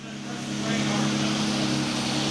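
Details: 2008 Jeep Grand Cherokee 3.7 L V6, first start after the work: engine catches and settles into a steady, even low hum as revs build over a couple of seconds; normal running.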